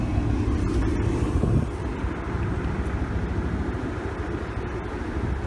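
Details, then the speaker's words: Ford Escape with mold and mouse infestation, long unused, reportedly no oil: low, uneven rumble with an irregular beat that never smooths out; running very rough, cause not confirmed. "can hear it's running real bad [Music] well I mean this thing's just so messed up from sitting"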